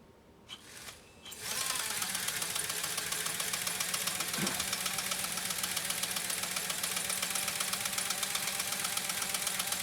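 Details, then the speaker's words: Restored Pfaff 130-6 sewing machine with an embroidery kit sewing its first decorative stitch. Quick, even clatter at about four stitches a second after start-up, with no knocks or grinding: normal running. "And we'll try to execute this first decorative stitch that's generated by the embroidery kit."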